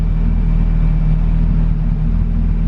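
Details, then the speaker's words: Honda Civic Si (EK), turbocharged on E85 with Hondata S300, 2200cc Bosch injectors and a preliminary tune: low steady rumble at idle with no hunting, stumbles or misses; steady air-fuel ratio. "look how steady that is there's no jumping around there's no uh nothing"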